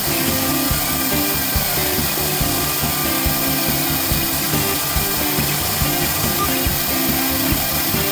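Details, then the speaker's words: Genmitsu ProverXL desktop CNC after VFD spindle upgrade, cutting aluminum 2 mm deep: spindle holds steady pitch with no bogging under load, music in background; smooth healthy cut leaving no ridging. "I didn't hear the motor bogging down or the spindle bogging down at all it sounded like a very smooth um cutting even at 2 mm"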